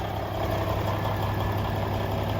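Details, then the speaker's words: 1994 Freightliner FLB cabover, Cummins Celect N14 diesel, just fired up after new injectors and jake brakes fitted: steady low even idle with no misfire stumble or knock, exhaust now clear instead of white unburnt smoke; normal idle. "clear exhaust. Before, when you fire it up with that bad injector, man, it would just be rolling unburnt diesel smoke. White, not even black, just unburnt white diesel smoke. Nothing's coming out of it now."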